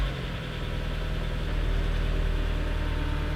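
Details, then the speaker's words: Miata at first start after installing a used Flyin' Miata muffler (gasket fit uncertain); steady, smooth idle with a deep, low exhaust drone and reverberation, no knocks or rattles; normal idle with deep exhaust note. "it definitely was low it definitely was like a deeper sound wow oh wow this is quite deep"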